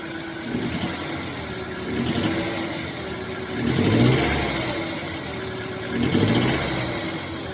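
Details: JAC engine misfiring at idle: uneven idle stumbling about four times a second with small rev swells; cause not yet known.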